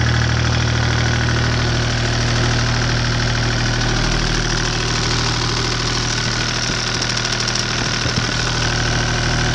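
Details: Deutz 2009L03 (2009L3) German 3-cylinder direct-injected diesel on a test stand, cold start after sitting indoors at about 52°F, glow plugs used; even rapid clatter over a steady low rumble at cold idle, no misses or knocks, seems to run pretty good.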